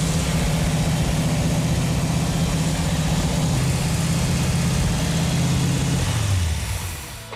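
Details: Chrysler 440 Six Pack V8 on an engine run stand, first run in 40 years after cranking until the fuel leaned out; steady even rumble at fast idle, no knocks or misses, eases off smoothly; normal running.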